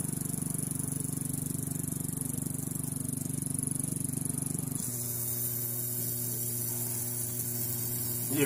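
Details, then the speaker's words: Insignia 37" LCD TV at power-on, before repair: loud pulsing low buzz settling into a steadier, higher hum. Owner is sure it is the toasty-looking power-supply capacitor (450 V 150 µF), not yet confirmed. Power supply hum. "God that sounds scary that's that cap I know it's that cap stay tuned"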